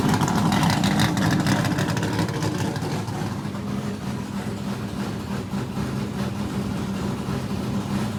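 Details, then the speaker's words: Richard Petty race car, Pontiac-headed small block Chevrolet V8, first in-car run in years after new fuel cell (run off the car weeks earlier): rev settling into steady choppy idle, even firing, no knocks; good oil pressure, normal. "well that's the first time this thing has run in a long time we did Crank It Up off the car just you know a couple of weeks ago"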